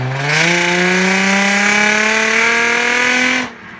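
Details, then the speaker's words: Infiniti G35 with a rusted, old exhaust that fell apart after a long road trip: loud, raspy engine note rising with revs, then cutting off; broken, leaking exhaust awaiting welding. "It's pretty loud, as you can hear. It's, you know, definitely sounds pretty beast."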